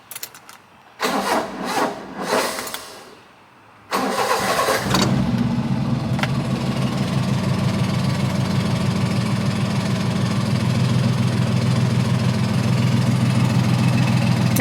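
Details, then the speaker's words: Kei mini truck with carburetor, being diagnosed for excessive crank and rough start, cold start after sitting overnight: two cranking bursts with a pause, then catches and settles to steady idle; extended cranking, slight improvement but still not firing immediately. "right so that took two cranks to come on so I guess a slight Improvement but still it's not starting up you know firing right away where it needs to be"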